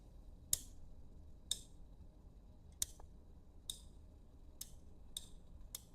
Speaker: When I push it, okay, it has moved to the top. That is how a limit switch works.